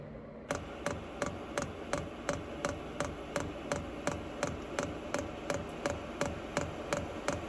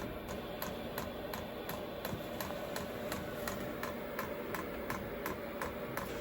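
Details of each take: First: Vevor 8 kW diesel heater in a camper van, restarted after replumbing, lit on a cold day: steady soft fuel-pump ticking about three a second under low blower and combustion hush; running normally, blower and combustion louder than the pump. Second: Vevor 8 kW diesel heater newly installed in a camper van, fuel pump priming with air in the line: steady sharp clicks about three a second, no burner roar; heater fails to light, E10 start-up failure code.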